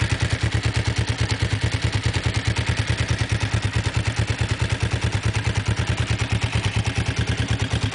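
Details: Kawasaki GPZ engine running with a fast, even clatter over the steady low engine note; abnormal mechanical noise, cause not identified.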